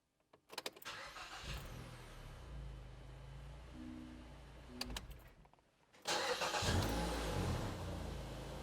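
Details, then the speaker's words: 2010 Mazda 3 daily driver right after starter replacement, which had cranked slowly and sometimes failed to crank when hot: quiet, even cranking, prompt firing and smooth idle, much better; normal cranking and start. "Okay, moment of truth. Here we go. Oh, so much better."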